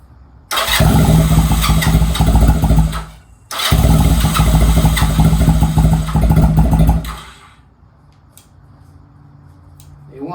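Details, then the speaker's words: Honda Rebel 250 motorcycle first start after 27 years sitting, in neutral, full choke; catches, runs rough a few seconds, dies, fires again and stumbles; hard starting, owner suspects fuel not yet circulated. "All right. It wants to. I think there's needs to get some fuel around the car, but fuck, it's gonna start."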